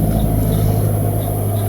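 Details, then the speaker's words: Vehicle jacked up with a rear wheel spun by hand. A steady, deep droning rumble comes from a broken wheel bearing, and the rim or tire also appears bent. "เสียงเหมือนลูกปืนแตกเลยเนี่ยOhno>>แม่นจังได๋ลูกปืนก็แตกแน่นอน"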